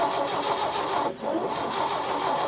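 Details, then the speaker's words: 1961 Chevrolet Biscayne, 235 inline-six, 3-speed manual, sat 30+ years in junkyard: steady rhythmic cranking with no firing; valves all moving, fuel in carburetor, so a timing issue is suspected; cranks but won't start. "so we don't have a stuck valve we have fuel in the carburetor it's got to be a timing issue just has to be there's no other option so it's got to be a timing issue"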